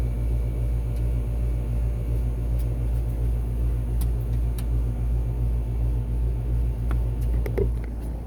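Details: 2020 Rheem/Ruud RA13 condenser, heard from compressor side, scroll compressor, swept-blade fan with what is thought to be a Genteq fan motor: deep steady hum with low even pulse, no rattles or squeals, comes up to speed smoothly; normal startup.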